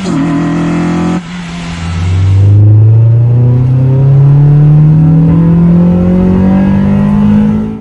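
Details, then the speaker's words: Honda Integra with completed LS-VTEC conversion on its first drive: under hard acceleration the engine note climbs and hardens through the revs; VTEC engages properly and pulls hard despite concern over the solenoid being wired to an auto harness shift solenoid. "So as you just heard, Vtec's engaging fine, it's pulling nice and hard."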